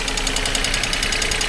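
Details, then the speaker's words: Abandoned Geo Metro convertible after long storage, started without starting fluid: fast even ticking chatter at about ten per second over an otherwise smooth idle; engine described as a little chattery, cause not pinned down. "the Eng's a little chattery it I can't believe this it didn't need St fluid or nothing sitting here just purring like a kitten man and it's the ugly one too no way"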